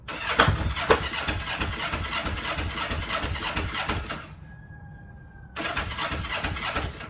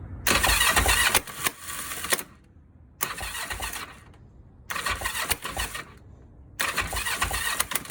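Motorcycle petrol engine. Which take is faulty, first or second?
second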